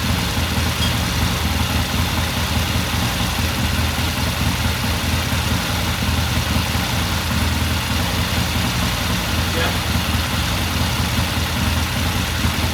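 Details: 1969 Triumph TR6 motorcycle twin after pilot jet cleaning and a half-turn pilot air adjustment, idling warm after cold start: steady even smooth low beat, no stumbles or knocks; normal warm idle.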